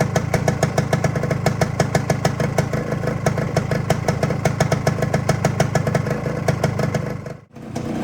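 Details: Freshly rebuilt 1972 Suzuki TS185 two-stroke after a new top end that fixed very low compression: crisp, regular popping at a steady idle, about three beats a second, no stumbles or rattles. It purrs nicely, a healthy normal idle.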